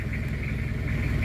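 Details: Toyota Mighty-X diesel that cranked but wouldn't start because the dash lights and injection pump stayed off, after rewiring the faulty circuit: steady, even, low idle rumble with no misses or knocks; running normally.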